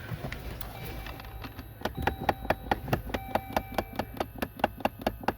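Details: 2013 Dodge Journey, ignition on, after blower motor: sharp steady plastic taps about twice a second from dash; blend door actuator's cheap plastic gear failing, actuator to be replaced behind glove box.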